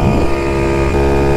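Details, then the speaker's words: Chuckus custom trike first ride, cruising: a steady, even whine over the engine from the belt in the open CVT case, like a supercharger; normal CVT belt whine. "You can hear the belt kind of like, sounds like a supercharger or something. The CVT, because it's got like an open case back there."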